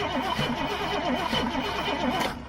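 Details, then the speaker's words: Old GMC bucket truck, carbureted gasoline engine: the starter churns steadily but it never fires. Fuel is pumped up to the carb, but none flows in while cranking; owner suspects stuck floats or metering valves. "so I'm thinking that like Floats or metering valves or something yeah are probably going to be stuck because we know we've got gas coming gas has been pumped gas is coming up to right there for sure to right here"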